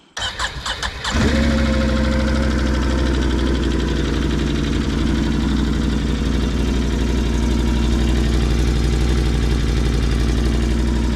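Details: 2020 Can-Am Outlander 570 sold as having a bad fuel pump, after crank-no-start repair: cranks briefly, catches at once and settles into a steady, even idle with no misses or knocks; healthy start.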